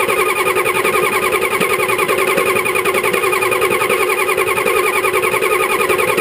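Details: 1985 Ford 6.9L IH diesel, sat about 5 months, glow plugs disabled (controller failing, doesn't work above 45F), owner suspects somewhat low compression: slow even cranking about eighty strokes a minute, grinding on without catching; hard start, long cranking.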